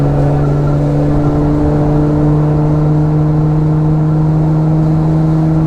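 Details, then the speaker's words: HKS-built twin-turbo car (HKS 230 turbos, stock bottom end, dual blow-off valves) after its worn-out turbos were replaced. Steady engine drone with clean, even whirring and no wavering or rattle; normal sequential twin-turbo operation. "I can hear these turbos going back and forth they did it before but it's just it's nice to hear that again"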